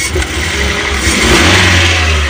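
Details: Toyota Gran Max 1.5 dual VVT-i, raised, after cleaning the throttle body in place with carburetor cleaner: engine picks up revs smoothly and holds steady without stumbling or hesitation; clean throttle response; normal revving.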